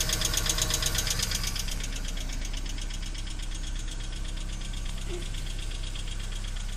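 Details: BMW E46 318i 118 hp petrol idling cold with a fast light metallic clatter from the top end, sometimes stopping, returning for a while after revving: hydraulic lifter tick; lifters replaced, starts like new.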